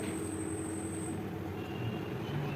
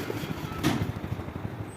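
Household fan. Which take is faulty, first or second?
second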